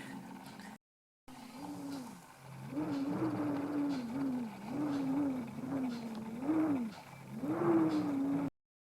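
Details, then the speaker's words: Wood heater door in Portugal, January, after the window was removed for painting: wavering hooting howl around 250 Hz as wind leaks through the poorly sealed glass; holding the glass stops it, fix is new fiberglass seal strip. "I removed the window when I painted the door on the inside, and it didn't seal properly, so I bought some new fiberglass seal strip to glue into here, because as soon as I hold this here, the howling stops."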